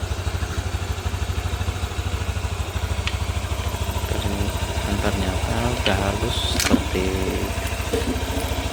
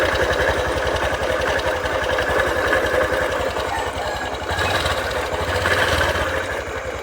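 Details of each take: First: 2022 Honda Beat FI scooter after engine teardown and rebuild; the rough rumble came from worn bearings in a sludged engine. Now an even, quick idle putter with no rumble or knocking, smooth as original. Normal idle. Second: 2022 Honda Beat FI scooter with rough rumbling complaint: coarse, uneven rumble about four beats a second under the idle; mechanic suspects worn or sludge-filled crankshaft bearing, not yet confirmed before teardown.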